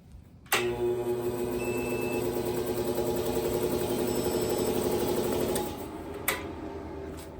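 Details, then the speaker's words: Large Craftsman air compressor on a DIY PowMr 3.5 kW all-in-one inverter with 48V 200Ah battery; second start attempt: the motor kicks in with a loud hum and rattle, runs about five seconds, then dies abruptly as the inverter shows overload and shuts down. "but let's try it again one more time it says overload all right so the second attempt failed"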